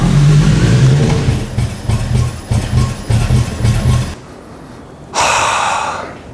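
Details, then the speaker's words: Toyota Land Cruiser 80 series after a secondhand alternator and new spark plugs: loud, lumpy idle with an irregular chuffing misfire, no longer rev hunting, then it stalls. Owner suspects a faulty secondhand injector. "Oh my god, it's still misfiring. It's definitely not rev hunting anymore, but it does sound like we're going to misfire."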